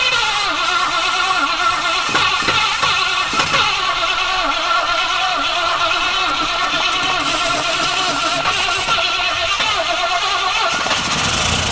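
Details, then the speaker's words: Classic car cranks strongly with a healthy starter note but never catches; no fuel reaching the engine (quiet electric diaphragm pump), later traced to a shut reserve valve. "so I think we have a few issues why aren't we getting fuel to it"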